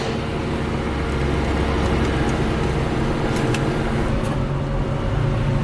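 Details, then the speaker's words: Corvette C4 V8 just started on its reconnected battery: a deep, uneven idle rumble whose beat stumbles now and then from a slight misfire. "us a little misfire yeah that's okay we'll figure it out"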